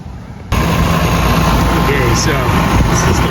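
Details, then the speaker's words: Coleman Mach 15k travel trailer air conditioner, 120V, after Micro-Air soft starter install: kicks on abruptly, settles into a steady low hum with smooth fan rush; start current cut from 23 to 10 amps, starting normally. "impressive running great it might not be 100 perfect but so we reduced it from 23 to 10."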